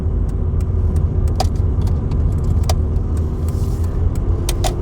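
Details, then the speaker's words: Ford Escort Mk6 joining the M6 at about 50 mph (around 3,000 rpm at 70): deep, steady exhaust boom fills the cabin like a sport exhaust, with light jingles; loud exhaust drone, cause not stated. "Sounds so cool. It sounds like I've got a sport exhaust on the inside. On the outside it must sound horrible."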